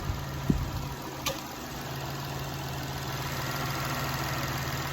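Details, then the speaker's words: 2004 Toyota Sienna 3.3 V6, 23,000 on it, first start after timing belt, water pump, plugs and valve cover gaskets, run briefly without coolant. Smooth, even idle with no knocks or ticks and no leaks seen; sounds really good. "there's no whole leaks that I can see yeah it's going sound it sound really good"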